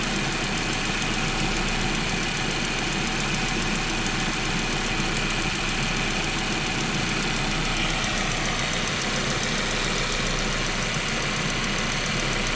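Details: 1.8T engine idling: fast light top-end ticking that quickens when revs are blipped; cause suspected, not confirmed.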